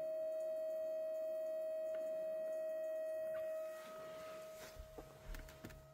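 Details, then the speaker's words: 2011–2012 VW Passat 1.6 TDI (CAYC) during diagnostic-tool fuel pump (pre-supply pump) test cycle: steady, even mid-pitched hum, then fades out as the cycle ends; normal fuel pump priming. "Donc on laisse travailler. Donc on laisse terminer le cycle. Une fois que ce sera fait marquera ici terminer. Donc on l'entend toujours fonctionner."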